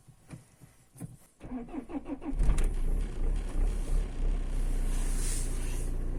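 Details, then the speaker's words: Citroen C5 2.0 HDi PSA diesel at idle, knock near the right front wheel: dull regular low knock about three per second, blamed not on the high-pressure fuel pump but on a failing crankshaft damper pulley. "хочу сразу сказать что проблема данного стука это не насос высокого давления проблема в эфирном шкиве коленчатого вала"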